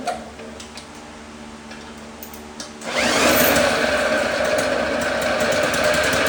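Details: 1954 Lawn-Boy RPM 8FH13LB mower, dormant 50 years, first start after carb cleaning: weak cranking, then sudden jump to a constant high screaming buzz that never drops; loose throttle leaks air at carb, choke ineffective, engine runs away.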